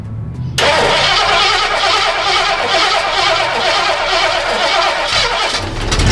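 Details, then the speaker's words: 1960s Ford Galaxie, supposedly rebuilt engine, 60 psi oil pressure, restarted after cranking; catches and races to a fast uneven idle, no dead miss; rough running high idle, carburetor issues suspected. "Okay, we got it running. It runs, and it's got 60 pounds of oil pressure. It's got some potential carburetor issues that we're going to sort out."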